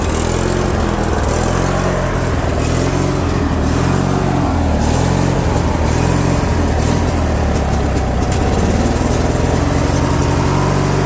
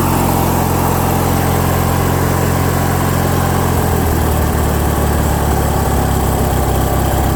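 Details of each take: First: Craftsman lawn tractor with Briggs & Stratton opposed-twin engine and non-adjustable carb, surging speed up and down; fix is cleaning the jet behind the carb bolt with a small drill bit. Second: Craftsman lawn tractor with a Briggs & Stratton opposed twin engine, after carburetor jet cleaning, choke on, throttle halfway: steady, even note with no hunting or surging. It idles a bit high and the idle screw needs backing off. Surging fixed.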